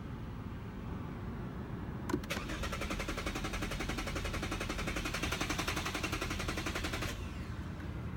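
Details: Lexus that won't start: fast, steady clicking for about five seconds while the key is held, and the engine never cranks or catches.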